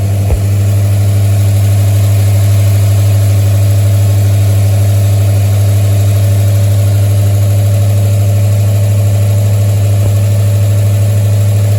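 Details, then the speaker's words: 1973 Mustang after a 1G-to-3G alternator conversion, started for a charging test, reading 14.23 V at the battery: a steady, even idle with a smooth low hum and no knocks or misses. Normal idle. "Okay. Now, as Joe is watching this voltage, I'll have Linda start the engine. Fire it up."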